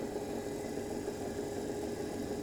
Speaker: so when i move from this line to the other line you can start hearing this noise the crackling noise which is coming that is the indication that the cavitation is taking place